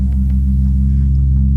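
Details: Definitive Technology 8080ST tower speaker: loud, constant deep hum with a buzzy edge and no music, after huge booms and pops during a movie; the built-in bass amplifier is suspected bad. Loud hum.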